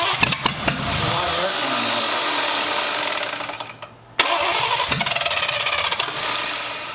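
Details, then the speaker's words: Abandoned Cadillac 331 V8, start attempt with borrowed plug wires and cleaned points: cranks with a few ragged firing pops, then dies out; fuel pump suspected of not delivering fuel. "i don't think that fuel pump's doing its thing all right stop"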